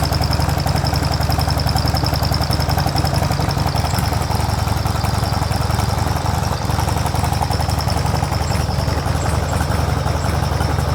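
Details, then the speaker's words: Mostly original carbureted two-cylinder Harley Sportster started on choke; loud lumpy potato-potato beat about three to four pulses a second, slightly uneven, heavy vibration; exhaust apparently altered; normal idle. "Suaranya sih sebenarnya beda dari yang dulu ketika pas dilepas. Kayaknya knalpotnya pernah diganti-ganti sedikit ya. Tapi dentuman khas motor karbu 2 silinder Harley-nya itulah yang membuat gue jatuh cinta banget."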